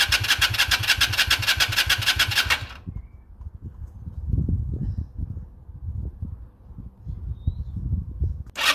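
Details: 2001 Yamaha XVS125 Drag Star, not started in 3 years, with a fresh battery, oil checked and fuel added: fast, even cranking for a couple of seconds that never catches, then stops. It cranks but won't fire.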